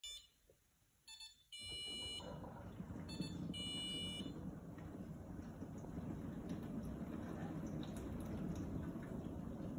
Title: Beeping uncontrollably